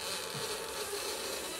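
A dry, scratchy creak as the suspension link is worked by hand, from a worn flex joint.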